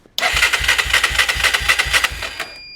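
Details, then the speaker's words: Honda 300 EX ATV after a wiring fire melted harness wires, powered by a jump pack: even starter cranking at four to five pulses a second that never fires. Still no spark. "And I tested it and we still have no spark."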